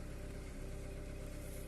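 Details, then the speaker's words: 2014 Kia Cerato after VVT solenoid cleaning, previously overheated: low idle with faintly uneven stumbling beat, RPM dipping; misfire counter reads zero and no codes, yet a cylinder misfires, later found to be cylinder 1. "لكن في شيء ركزوا على الار بي ام. شوفوا بينزل في تفتفة واضحة في السيارة."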